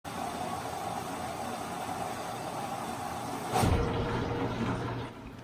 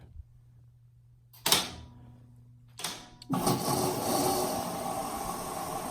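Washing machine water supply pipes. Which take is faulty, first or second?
first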